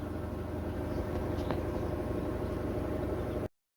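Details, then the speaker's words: GE washer GTW460ASJ5WW on a test station after its suspension rods were replaced to fix shaking. The spin cycle gives an even hum with no thumping, banging or shaking, so the washer spins smoothly. "currently it's in the spin cycle spinning nice and smoothly no violent vibration or shaking"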